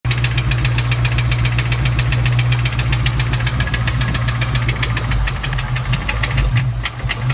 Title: 97 cobra rod knock/head tick/ spun bearing?